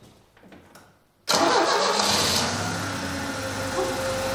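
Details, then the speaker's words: Opel Manta B 2.0E CIH engine, previously running very rough, after resetting wrongly adjusted breaker points and distributor rotor and cap: quick crank, catches at once, steady even cold idle, no misses or knocks. ", यह कितना सुपर चल रहा है, cold start चरण के बाद शीर्ष इंजन चल रहा"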